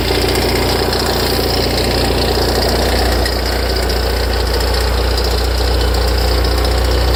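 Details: Ferrari F355 at cold start: tens of seconds after starting, a fast uneven knocking rattle from the engine front rides on the loud idle, louder and longer after long disuse; idle steadies once it stops.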